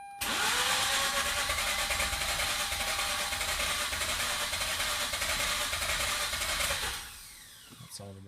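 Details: 2004 Mazda RX-8 during deflood attempt with throttle floored: steady, even cranking at about three turns a second for several seconds, never firing; cranks but won't start.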